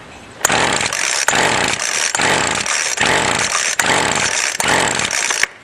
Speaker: So now, without doing anything to the carb, just praying that it's good, I got it full choke and I pull it full throttle till it starts and dies.